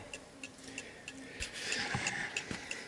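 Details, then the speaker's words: Antique Davison Bros London clock after calibration (previously stopped): crisp, evenly spaced tick-tock about three per second, steady beat, running in beat with the L-shaped part engaging nicely. "so last time it stopped but this time it's working perfectly fine because that little L shape there has actually been kicking in quite nicely"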